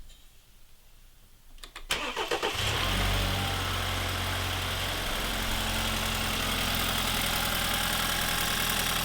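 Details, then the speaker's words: 2015 BMW 328i xDrive F30 with the N20 engine, started right after a spark plug change. A short crank catches cleanly and settles to an even idle with no misses, running on all cylinders: normal start and idle. "How about that? Sounds like she's running on all cylinders."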